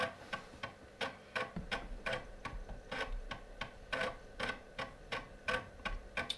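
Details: Commodore Amiga 500 (Kickstart version 33.56) floppy drive loading Workbench 1.2, where one disk retry was needed: crisp irregular ticks, roughly two or three a second, with quiet gaps. This is normal head seeking.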